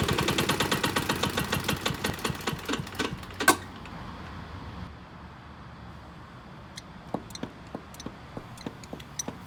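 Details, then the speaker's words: Honda self-propelled lawn mower, about 590 hours: sharp knocks about twice a second over rough running, sounding like a big-end bearing but caused by a cracked, wobbling blade carrier disc at the crankshaft. "is it guys the blade carrier disk see how it's wobbling it's actually cracked yeah where I'm pointing there around near the central that's actually all cracked there now that causes that whole disk to wobble when the crankshaft and causes that bad knocking noise"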